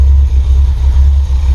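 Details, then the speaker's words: Land Rover Defender 90 with 4.6 Rover V8, just started after front cover gasket replacement for an antifreeze leak: deep, steady low rumble with no tapping, misses or rattles; smooth healthy idle. "Purrs like a kitten."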